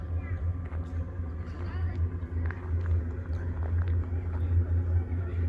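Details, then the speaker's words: Ford-chassis motorhome furnace running: steady low hum around 80–100 Hz, like a movie theater drone, unchanging and noticeably loud; owners suspect the furnace, exact cause unclear. "it was this low drone noise that sounded like it's kind of like a a movie theater"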